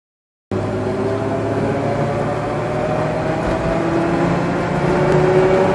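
Steady engine hum with a faint tone that climbs and wavers over a few seconds; an odd noise with no clear cause.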